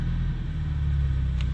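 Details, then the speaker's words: Ford Mustang EcoBoost at about 1000 rpm after refitting the factory spark plugs in place of Accel plugs: a low, steady rumble with no stumbles. The misfire is much reduced; cylinder 1 still logs a few counts. "Let's see if it will do it around 1,000 RPMs like it was. Oh. Okay. It's not doing it now."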